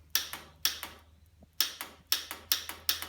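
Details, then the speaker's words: Old Farmall tractor being revived, ignition on: sharp dry clicks mostly in pairs about twice a second, no cranking; solenoid works but starter doesn't turn; suspected stuck starter or bad solenoid contacts, replacement solenoid planned. "That's the solenoid working, but the starter doesn't. So either the starter's stuck or the contacts in the solenoid are bad."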